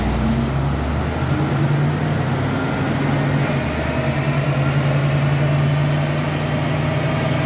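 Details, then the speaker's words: 1986 Ford Mustang with swapped 302 V8, used engine, on dyno after timing advanced: steady, even idle with deep consistent rumble, no misses or stumbles; sounds much better than before. "I mean, to be honest, it already sounds much better than it was."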